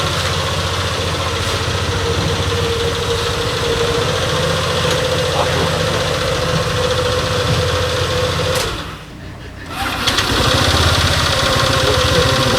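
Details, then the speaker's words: Honda PCX125 scooter at idle after starting, rear wheel moves forward without throttle: steady idle with fast even chatter about three beats a second; suspected drivetrain clutch weights (shoes) dragging, replaced. "Sau khi khởi động, xe tiến về phía trước mà không chạm vào cần ga khi không tải."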